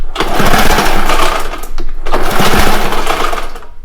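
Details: Two long rasping recoil pulls on a Ski-Doo Citation snowmobile spin the engine over but it never fires; no spark, so it only cranks.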